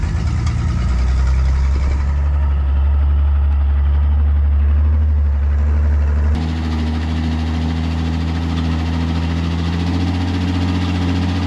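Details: Restored 1953 Chevy 5700 COE cab-over truck, Western Nebraska project truck off the road about 50 years, now finished, running and driving: deep, steady low rumble with an even beat, no knocks or misses, normal idle.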